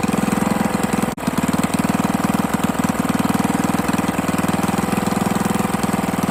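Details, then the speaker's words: 98cc single on its first run after a rebuild with used parts, a honed cylinder and break-in oil: fast, uneven tapping over a rough, hunting run. It no longer smokes, but turning it by hand gives a bottom-end clunk from a loose connecting rod. "I rotated the engine by hand, and there is a significant, like, clunk clunk. There's very little movement right there. That's a connecting rod being loose."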